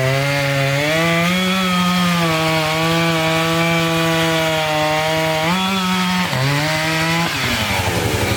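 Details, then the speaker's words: Chainsaw cutting a dirty, sandy log: a steady high buzz under load that bogs and recovers between cuts. The chain is dulling from the sand. "all right so definitely getting dull as we go there comes all that stand"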